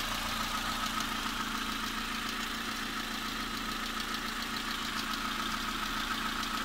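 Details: Newly bought, just-installed VW Polo 3 engine at a quiet idle, still cold: a light, quick, even tick runs steadily over the engine; valvetrain-type ticking or clatter after installation, source not pinned down.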